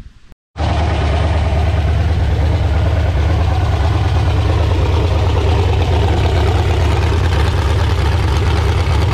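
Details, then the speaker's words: Freshly resealed LQ4 6.0 V8 with new cam, first fire-up on a run stand with a Holley Terminator X Max (550-917), not yet tuned: loud, steady deep rumble through open headers, even lope, no knocks or misses; normal idle. "That's very cool. It is running under its own power here."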